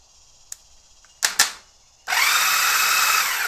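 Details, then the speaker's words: 1999 Honda Valkyrie Interstate, not run in over two years, cranking test: a few sharp clicks, then the starter spins up with a steady, even high whir; starter motor works. "we'll go ahead and test this out real quick make sure it's going to crank"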